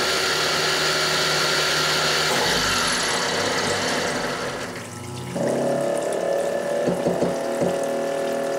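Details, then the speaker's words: Grizzly G0704 CNC mill spindle motor burning out during a long cut: cutting roar sags and dies, then thin whine and clicks as everything binds and the power strip overloads; endmill and part ruined. "so I ruined this endmill I ruined the uh the part to some degree and uh I torched the motor and I'm going to show you that now"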